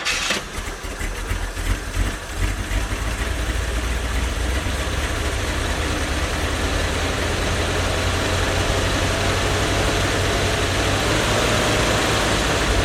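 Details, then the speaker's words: One-owner 1972 Chevy G10 van with a 307 small-block V8 and automatic, sitting since 1997. After a new fuel pump, fuel line and five gallons of fresh gas, it cranks, fires and holds a steady idle; normal start. "well here it is I moved it over to this spot it drove over here so that's pretty cool it is burning off a lot of whatever is on the manifolds the exhaust manifold but it's actually sucking fuel out of the tank"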